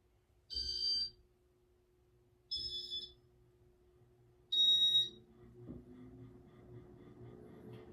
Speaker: this Fan's board is loud it's really loud yeah that's all I got to say it's loud sounds like the Beeper is uh starting to wear down on this thing but I don't know it it's weird